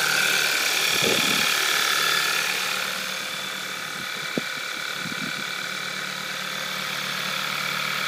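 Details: VW Scirocco 2.0 TSI DSG, 02/2012, 9,800 km, cold engine at idle: fast, even metallic ticking about four per second over a steady hum; owner asks whether it is normal, cause unclear.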